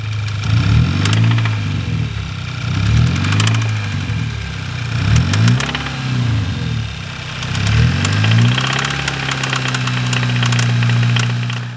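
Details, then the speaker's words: MK6 GTI 2.0T TSI petrol engine blipped repeatedly: deep metallic knocking that sharpens as revs rise, rod knock from connecting rod or bearing failure; engine was replaced and torn down. "rod knock is something that you would get if you had a failing component in your engine"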